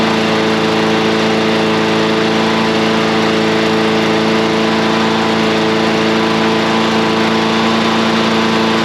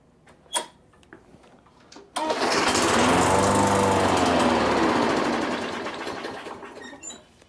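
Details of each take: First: Briggs and Stratton small engine after a repeat carburetor cleaning: a steady full-speed drone with constant pitch and no surging or hunting. It no longer runs slow and now runs normally. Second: Craftsman mower with a Briggs & Stratton engine, unused since fall, with fresh fuel added and primed: it fires and runs evenly about four seconds, then the beat slows and fades until it dies. Fuel starvation from a clogged carburetor jet.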